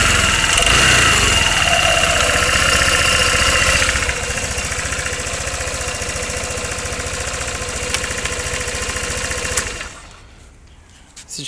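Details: 2013 Honda SH150i scooter engine after repairing a knock (broken spark plug was found): smooth, even idle with a steady fine patter and no heavy knock, then shut off near the end. Runs normally.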